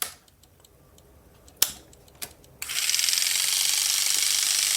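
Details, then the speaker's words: Waterpik-type oral irrigator pump motor bench-tested at 3 volts from a bench supply during repair: a few clicks, then a thin, high whir holding steady with a light even flutter and air suction felt; the motor runs normally. "you hear it going. I can feel the air suction in here."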